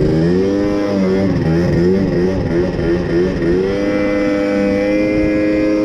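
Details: Moped/scooter (MBK) two-stroke after carburetor leaned out (free-flow air filter had enriched it, limiting it to 30 km/h), now reaching 70 km/h; crisp buzz climbs smoothly with road speed, no bogging or misfire, mixture right.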